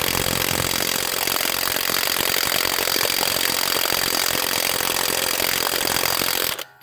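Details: HANS 1/2" cordless impact wrench (rated 530 Nm) on a wheel lug nut, battery said to be full: continuous rattling hammer at about four blows a second with no hard snap, weak and struggling versus a Dayplus; same after a full recharge, possibly defective.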